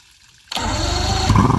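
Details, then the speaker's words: Evinrude 150HP two-stroke outboard on a 1997 Sunbird boat, first start after 20+ years sitting, fuel and oil injection bulbs and lines replaced: catches abruptly, runs rough about a second with no steady idle; fires but won't keep running. "anyway we can't keep the motor running or we can't get the motor to stay running"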